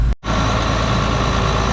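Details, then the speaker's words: John Deere 8820 combine diesel after exhaust manifold leak work, before fuel filter change: steady, even low idle with smooth rumble, no knocks or exhaust puffing; sounds really good, healthy. "sounds really really good"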